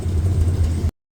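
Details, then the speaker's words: Small-block 305 V8 in an A-team van, warm idle after fitting 1.6-ratio exhaust rockers: a smooth, even low rumble with no ticking or miss. It sounds no different than with the stock 1.5 rockers. "After it's warmed up, that's what it sounds like. So, it doesn't sound any different than the 1.5."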